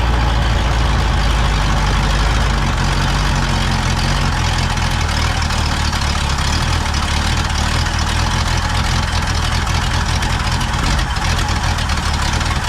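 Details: Pontiac V8 on first start with a rebuilt Holley 600 vacuum-secondary carb swapped in for the Quadrajet gives a heavy, lumpy idle that never settles; the float is set too high, flooding the carb with sticking new floats, and ignition timing is badly retarded.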